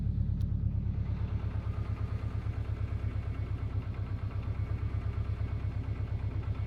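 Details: Subaru Impreza WRX GC8, EJ20G turbo boxer at steady low idle, regular hard tapping about three per second; driven a year, prior owner two years; told forged pistons knock, owner suspects connecting rod; unconfirmed.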